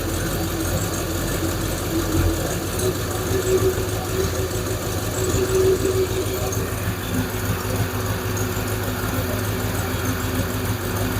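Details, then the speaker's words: Hemi V8 Plymouth Duster after alternator replacement, idle screw turned up slightly from a low idle: steady, slightly brisk idle with an even rumble, now sounding a touch too high; owner also suspects a loose rocker shaft. "That might be a little too high now, huh?"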